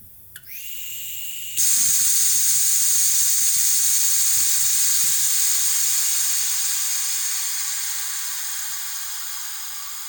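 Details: Home-built Farm Boy hit-and-miss model engine, cylinder pressurised to about 35 psi: a sharp steady hiss starts abruptly and slowly fades as pressure drops; compression leaking past the intake valve seat, which needs relapping.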